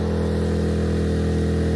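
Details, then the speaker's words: EcoFlow Smart Generator dual fuel running on natural gas at 1200 W load; engine note steady but low and labored, straining under load, nearly killed off; engine bogging under overload, 1000–1100 W handled. "Yeah, so same thing, 1200 won't do it, pretty much kills it off, so."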